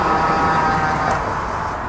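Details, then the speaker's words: Mazda Bongo driver's power-folding mirror after mirror replacement: steady, smooth electric motor whir with no grinding or clicking as it closes and opens evenly; fold motor working normally. "So that's all working now. And then we'll close it. Look at that. Beautiful. Closed. Open."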